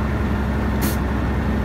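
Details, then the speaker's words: Big truck at about 1000 rpm idle on a 20°F winter morning, air brake system frozen, only 70 psi building: sharp hiss bursts once over steady idle as the compressor relief valve spits because the air line is still clogged. "hear that that's spitting out the um relief valve on the compressor so the air is still clogged"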